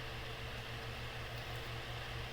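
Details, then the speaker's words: Bathroom fan with a cheap shaded-pole motor that had seized, running on high after cleaning and oiling: a low, steady hum with soft, even airflow and no rubbing or wobble. The motor now runs smoothly. "oh oh guys that look at look listen to that guys that fan is running incredibly smooth"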